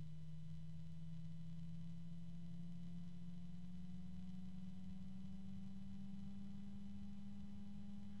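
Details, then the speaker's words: Antec P12 120 mm PWM fan, rated to 1400 RPM: clear low hum appears at very low speed and climbs steadily in pitch as it speeds up, faint higher tone alongside; normal fan tone rising with speed. "but that low tone comes in very soon I'm still it's still going very slowly and that tone just persists on the low end of the scale here although now it's kind of moving into the"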